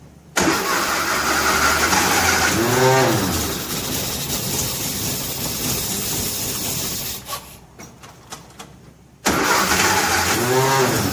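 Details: 1957 Nash Metropolitan barn find, sitting many years, manual choke: long steady cranking at about two turns a second with brief catches that never fire up; crank no-start.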